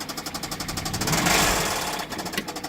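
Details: 2012 BMW 650i convertible V8, 61,000 miles, at auction, no check engine light: sharp regular ticking around ten per second at idle, briefly smeared by a throttle blip, then back; engine knock, cause unknown.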